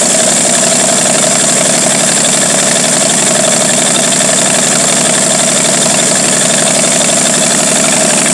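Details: 1949 Studebaker 2R5 truck, Commander 6 engine, won't stay running unless the carburetor is fully choked: loud, steady idle with a hissy top end and slightly uneven beat; rough idle from a vacuum leak.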